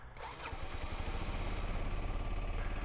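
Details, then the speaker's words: Used 125cc four-stroke motorcycle started with the clutch pulled in during a pre-purchase check: brief crank, then it catches at once into a quick, even single-cylinder putter with no misses; a normal start. "right it should start out right away but then check to make sure there are no lights on"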